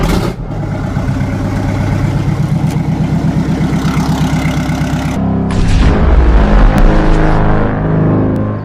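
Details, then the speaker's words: 1960 Kenworth W925 semi truck started with an open exhaust manifold during restoration: a raw, barking diesel with sharp rapid exhaust pulses and a loud blat on revving. "that sounds like open hoping manifold"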